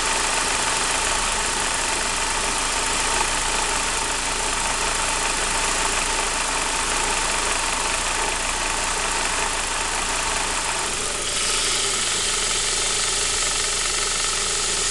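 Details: Saab 9-5 B235 petrol engine at cold idle, noise present on a cold engine only: a dense, busy metallic rattle over a quiet low hum. Owner suspects the timing chain; unconfirmed.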